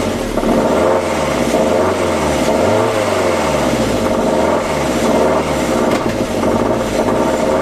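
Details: 2003 Audi A4 B6 1.8T (BFB, 163 PS) after replacing the timing belt and water pump and setting the timing: engine rising and falling with a wavering, warbling tone that tracks the revs; abnormal noise, cause not pinned down.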